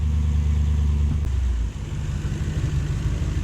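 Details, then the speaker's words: Toyota 3UZ V8 swap in a 4x4 with a 5-speed and Safari transfer case, after off-road driving. Revs drop and settle into an even, low burble with no stumble or miss; idles down normally. "Idling down like it should."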